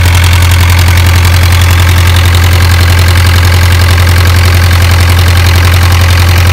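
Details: Isuzu 4BA1 85 hp diesel coupled directly to a 5-inch single-impeller pump irrigating a 20-rai durian orchard, pushing water about 800 m uphill; deep, even clatter, steady beat just under two per second, no misses or knocks; normal healthy running under load.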